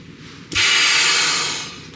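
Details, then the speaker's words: 2022 Ford 6.7 Powerstroke diesel, vacuum hose pushed and pulled off during upper intake removal for a new intake and piping install: a sharp hiss of about one second, trapped vacuum releasing normally. "push and pull you can hear our vacuum release we'll pop that guy off of our coolant line in two locations"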